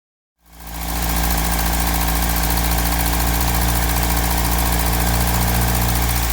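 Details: 1955 Land Rover Series One with a rebuilt engine, first start after sitting about 50 years, following suspected SU fuel pump trouble and carburettor tuning by ear: the engine catches and settles into a smooth, even idle with a steady low rumble and no knocks or misses.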